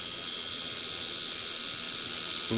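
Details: Cheap $5 kit coil tattoo machine run straight out of the box at about 4–5 volts, before tuning: a fast, high, buzzy chatter, rattly and uneven, rattling itself apart.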